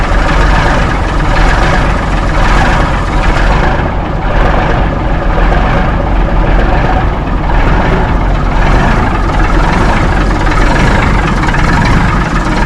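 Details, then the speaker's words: 1964 Mack B-model T75 truck diesel just after a cold start, warming up: heavy low steady thrum with slow loping beat, no sharp knocks; sounds lazy and sluggish, cause unknown. "I don't know what a down sound like. It sounds lazy."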